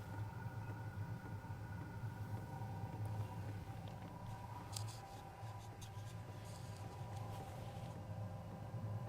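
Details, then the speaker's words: New BougeRV 5 kW diesel heater starting up, no warm air yet, slight smoke and diesel smell: steady low rumbling exhaust drone with faint whir; loud because no muffler fitted. "No warm air yet. The noise is coming from the exhaust off the diesel motor. Just a slight hint of smoke."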